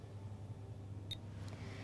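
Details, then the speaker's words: B-Cure low-level laser therapy device running a 6-minute treatment, giving one short high beep every 3 seconds over a low room hum to confirm it is still working; normal operation. "every 3 seconds you'll hear a beep to confirm the device is still working"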